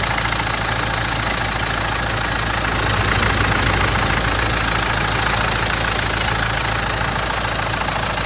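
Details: Mitsubishi 4M41 diesel at cold start idle with a steady, hard knock about three to four beats a second over its clatter; the cause is unknown.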